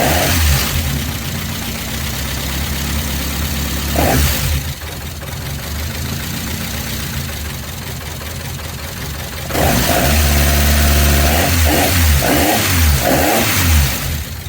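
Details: First start of a newly installed C20XE redtop engine in a Vauxhall Nova, with the fuel pump relay bridged because it is faulty: the engine catches quickly, takes a couple of throttle blips, then settles into a steady, even, healthy idle.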